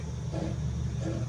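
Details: Commercial exhaust hood blower, belt removed, wheel turned: low steady hum with a scraping rub about every 0.7 seconds; blower wheel rubbing housing, motor bearing also sounds bad; suspected rub in motor wire intermittently tripping the breaker.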